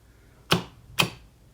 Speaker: And as you can hear, the contactor kicks in and out. And the input from the contactor, X12, comes on and off.